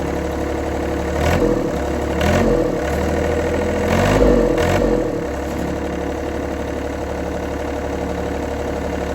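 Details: 1990s John Deere F1142 diesel mower, cold January, started via jumper wire, fuel shutoff solenoid not working: even low diesel idle with three short rev-ups in the first five seconds, no misses or knocks. Engine itself runs fine.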